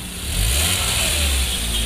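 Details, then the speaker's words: Hyundai Grand Avega 2015 after replacing the leaking exhaust flexible pipe: petrol engine revs with a smooth, even exhaust note like stock, no rasp or puffing leak. "fleksibel halus lagi seperti standar seperti standar"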